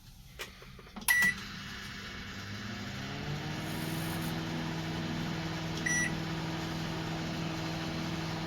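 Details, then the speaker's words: Redmond RM-2302D microwave running after replacing an oxidized part near the insulator that caused a grinding noise: after the start beeps, a smooth, even low hum with no rattle, buzz or scraping. "замечательно. Никаких звуков, ничего."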